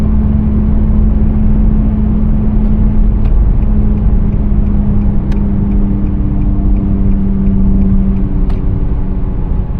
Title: 2017 Nissan Sentra SV humming noise while driving